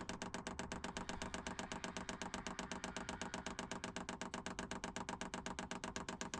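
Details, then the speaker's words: Cheap Chinese diesel heater in Peugeot Boxer van, fuel pump priming a long line from the van's tank before first run. Sharp even ticking about four per second; dosing pump clicking normally. "So I'll just set that going. You can hear the fuel pump clicking away. I might invest in a silent one,"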